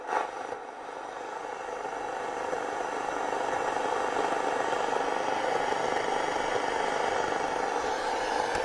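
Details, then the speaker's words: Radio, FM band: steady even hiss with no station or voice; FM reception dead, static only. "so yeah Andy the um R it doesn't work on FM it sounds like this sounds like there all ref"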